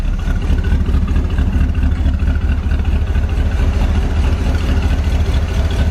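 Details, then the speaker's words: Barn-find 1970 Corvette V8 first fired up after sitting 10 years, fed from a gas can, oil pressure near 70 psi, no smoke: deep uneven idle with raspy puffing edge and a miss; suspected exhaust leak. "I hear an exhaust leak I can't believe it idles that's sitting for 10 years in it idles definitely missin though"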